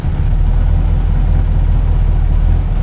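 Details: Supercharged 8-port Mini engine at cold-start idle during ECU mapping, with a steady, even low rumble and no misfire or knock. Warm-up enrichment tapers to 12% extra fuel by about 1,000 engine turns; it idles normally.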